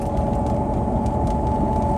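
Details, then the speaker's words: Range Rover automatic driving under load, not coasting, at 40-50 km/h: steady mid-pitched whine over road rumble, present in all gears; source unconfirmed, transmission, transfer case or differentials suspected. "just the noise just starts to come in at about 40 kilometers an hour so if I just try and maintain 40 50 kilometers an hour sort of under load not coasting"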